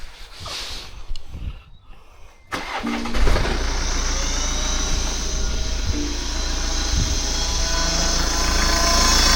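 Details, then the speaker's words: BMW F10 518d B47 diesel with failed turbo, actuator plugged in: loud steady high hiss-whistle over idle without revving; turbo noise. "And that's the noise with the actuator plugged in. It sounds absolutely horrible, and that's without even revving it."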